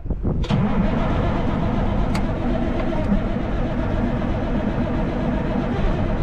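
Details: Kenworth Texas bed truck being revived: a steady, even cranking churn for several seconds as the big diesel turns over but never fires. The injection pump solenoid clicks; the fuel level was found to be near empty afterwards. Cause unconfirmed.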